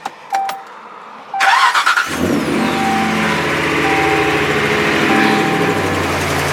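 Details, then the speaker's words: 2009-2018 RAM 1500 5.7L HEMI V8 starting up just after a Rough Country cold air intake install: short crank, quick flare, then a steady, even idle. It sounds healthy. "We just gotta make sure that it sounds good. The engine's not suffering, it has airflow to it."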